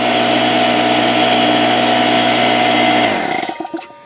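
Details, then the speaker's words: Porter-Cable 6-gallon pancake air compressor (1.5 hp, 3.5 SCFM at 90 psi), after repair of a broken copper line that had stopped it building pressure: a steady motor and pump hum for three seconds, then a clean shutoff. It runs normally, pressure rising to about 70 psi. "but we're about 70 pounds right now and clearly it seems to be holding pressure and working"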